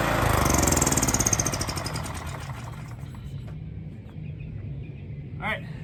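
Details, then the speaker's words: Honda EX1000 generator, test run at half choke without air filter or cover: settles from loud start into steady, even beat with no misses; running normally. "She's running at like half choke. I don't have the air filter on."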